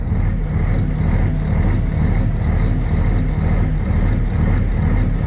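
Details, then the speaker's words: Peterbilt big-rig diesel, first start after sitting three months, started after priming 2–3 times: deep, steady rumble with an even beat and no knocks or misses, idling cleanly and sounding good. "She sounds good. Oh yeah, that was definitely not expected."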